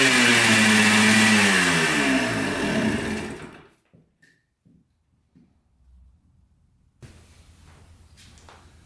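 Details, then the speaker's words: 1996 Yamaha Blaster 200 two-stroke quad after the carburetor fix (thought to have been flooding, with a pin in the wrong position): sharp revs climb freely for a few seconds, then drop, pulling without the earlier bog or loss of power. Sounds fixed. "definitely revs out more give it that i think it's uh pulling on the throttle cable though sounds pretty good i think she's fixed"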